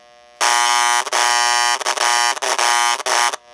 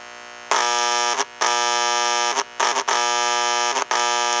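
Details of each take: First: Model 326 Hudson locomotive air chime horn after fitting a new capacitor in the tender speaker: loud, clean two-tone chime toots with greatly reduced generator buzz. Normal horn. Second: 326 Hudson model locomotive in neutral on powered track; steady harsh electrical buzz in bursts from the air chime speaker, track voltage leaking through the voice coil, capacitor to be replaced to eliminate it.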